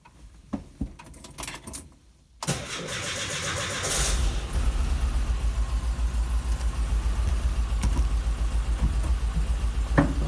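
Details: Air-cooled VW Bus engine starts and idles low with a hollow, rhythmic knock about three or four times a second. Piston slap.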